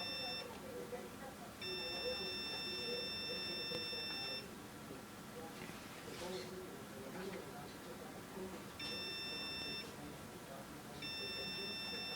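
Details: Windows Vista PC gives steady high-pitched electronic beeps in uneven bursts of one to three seconds over quiet room hiss; the PC froze, and the cause of the beeping is unknown.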